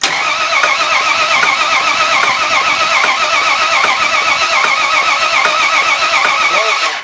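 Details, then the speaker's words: Engine cranking after a timing chain and gear replacement, with a cracked head: steady cranking with a light, uneven tick-knock about once a second; oil is in the sump but not yet circulated everywhere, so a dry top end is suspected. "Something's knocking. What? Something's knocking. Well, there's no oil in half of it."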